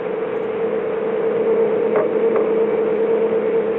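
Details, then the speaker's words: Vintage tube-type CB radio on 27.085 MHz channel 11; a steady mid-pitched hum runs constantly under the audio with no rhythm, interference blamed on a nearby Xfinity router. "that that sound is uh the Xfinity router I I don't know why the this old tomb radio it doesn't make it sound like that"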